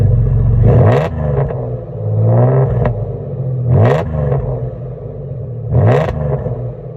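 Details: 2002 Jaguar S-Type with turn-down pipes: deep engine rumble with three quick revs, each bringing a sharp puffing rasp from an exhaust leak.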